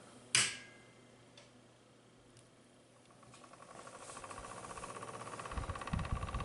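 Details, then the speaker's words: Corsair TX750W power supply fan, unit long installed face-down without ventilation, at switch-on: thump then fast rattling buzz climbing with speed; eases somewhat over time and mostly stops when flipped upside down, bad fan bearing suspected. "fan is making a really annoying vibration sound so it does go away a little bit after a while but when I do flip it upside down it pretty much goes away"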